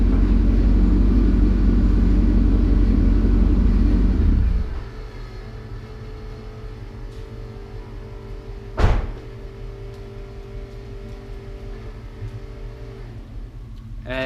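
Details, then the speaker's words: LS2 V8 at about 112,000 miles, 5W-30 oil: after the engine shuts off, a steady low electric buzz runs on by itself, the oil pump running after shutdown, normal. "buzzing was the oil pump running after I turned it off"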